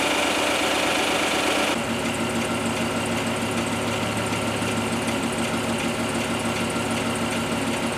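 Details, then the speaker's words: 2021 Chevrolet Silverado RST, started cold by remote start after sitting three days in snow, heard from outside: fast light sewing-machine ticking at idle, about two ticks a second; normal high-pressure fuel pump ticking described in a TSB. "the noise emanating from the high pressure fuel pump that can be in can be a subtle subtle ticking noise that is apparent when the vehicle is idling the sound is more evident when outside and around the vehicle"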